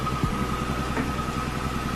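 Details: Even, low idle pulse with a faint steady whine above it, no stumble, from a twin-turbo-swapped widebody Nissan Z31 300ZX running for the first time after a disconnected MAF was connected; idling normally.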